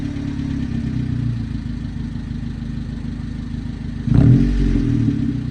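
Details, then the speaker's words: 1998 Honda Civic EK hatchback with a suspected blown head gasket, muffler removed: loud raw rasping exhaust at idle with a choppy beat, then a short rev blip; straight-through exhaust, engine fault suspected, not confirmed. "But with this blown head gaskets, potentially, I'm gonna give you guys a sound clip with the muffler off. This sounds pretty good."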